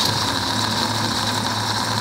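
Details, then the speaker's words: 1949 Chevy 3100 truck, vintage straight-six, at idle during a driving test: a steady thin whine rides above the engine, pointing to a worn water pump bearing. Diagnosed as a faulty water pump, to be replaced with a reman pump. "problem now that noise you heard was a faulty water pump"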